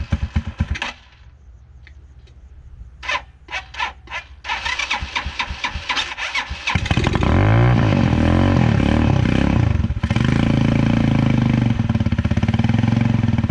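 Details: 2010 Dongfeng DF250RTB 250cc single-cylinder air-cooled motorcycle, sat 10 years, revived: several crank attempts, then catches and settles into a steady, slightly lumpy idle that evens out as it warms up; idle needs slight adjustment; sounds healthy.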